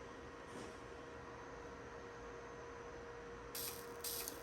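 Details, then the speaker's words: CO2 laser high-voltage cable wrapped in ordinary electrical tape about 2.5 inches from the ground wire, fired with the power supply's test button: steady fizzing hiss with a faint hum and crackly bursts while the cable shakes. Corona discharge from the poorly insulated lead. "You can hear there's some noise coming out. That means there's some charge building up. And see the cable is moving, shaky."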